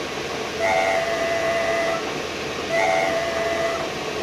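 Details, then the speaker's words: VW Touareg prop shaft half with center bearing, removed and spun up in a lathe while twisted: steady high scream pulsing about two seconds apart under hiss; failing center bearing, likely the source of the car's noise. "and then we try to spin it up in speed and try to twist it a little bit and see what happens and as you can hear the the sound is coming so I think I have found my my [Music] problem [Music]"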